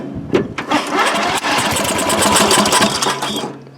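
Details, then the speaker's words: Free riding mower, flooded carburetor with residual gas, first start test: engine catches with loud pops and crackles, then runs rough and uneven as excess fuel burns off, improving once throttle is turned down. "so we're just going to turn it over and see if it'll pop and crack and burn off all the excess gas that's currently in it from it being flooded"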